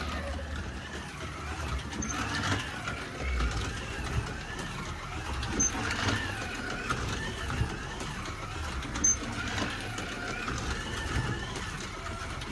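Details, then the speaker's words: Ford Escort Mk1 slot car running on the track; toy motor whirs with a rough, buzzy drone and uneven rattly surges, owner suspects something vibrating loose inside: abnormal running noise, cause unconfirmed. "it's a bit noisy you know as I said can you hear it it's quite noisy it sounds like there's some vibration inside"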